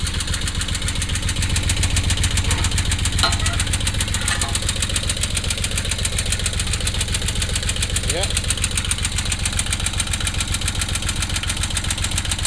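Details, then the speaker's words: Bobcat 643 skid steer, three-cylinder Kubota diesel at idle: sharp, even tapping at roughly 220 a minute; engine lacks power and bogs down; owner suspects a bent valve or lifter, unconfirmed; engine being replaced with a Kubota V1702. "this one runs but has no power bogs down and uh you can hear that loud tapping noise"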